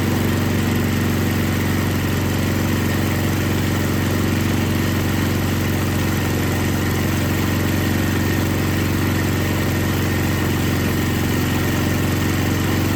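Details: Older MTD Yard Machines snow blower with Tecumseh 5 hp engine that would not start, after carburetor was put back together and gasket found falling apart; steady even single-cylinder beat with smooth drone, no stumbles or surging, normal running.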